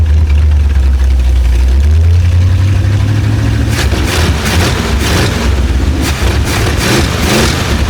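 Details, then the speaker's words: Abandoned Chevrolet C10 project V8 with no exhaust fitted, revved on test start; loud deep open-header rumble picking up cleanly when blipped and settling smoothly, oil pressure coming up, sounds healthy: healthy engine revving. "Sounds healthy, man. This thing sounds good."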